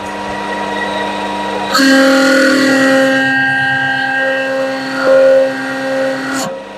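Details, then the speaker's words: Lathe at 1200 rpm with an 8 mm HSS tool cutting a rivet dimple in a steel bolt: harsh buzzing squeal with sustained ringing tones while cutting, stopping when the cut ends; heavy tool chatter. "right well that chattered quite a lot the dmle is in doesn't look too bad"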